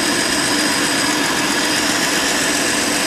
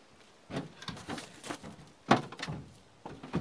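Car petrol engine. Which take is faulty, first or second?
second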